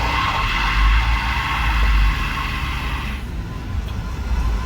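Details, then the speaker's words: 1986 GMC Caballero running during pre-purchase inspection: low engine rumble with a raspy high hiss cutting out after about three seconds; the air injection pump is leaking. "the air pump? No. What do you mean? It's leaking. That's what the problem is."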